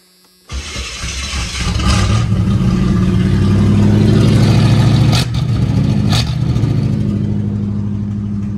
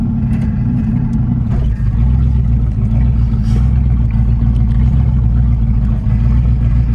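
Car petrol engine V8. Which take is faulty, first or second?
second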